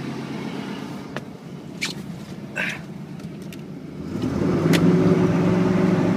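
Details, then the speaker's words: 1992/93 Chevy pickup, dual-fuel 350 V8, after a cold jump start, just switched from gasoline to propane: low steady idle picks up slightly, then settles smooth and even; normal idle on propane. "There, now it's on propane. Let's switch it back to gas."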